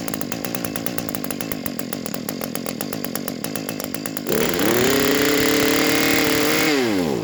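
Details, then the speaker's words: Lawn care equipment engine during a yearly tune-up: rough, uneven popping, then it catches and holds a steady high whine before the revs sag and it dies; owner suspects a bad carburetor. "see it runs it spins but then it dies which is a problem"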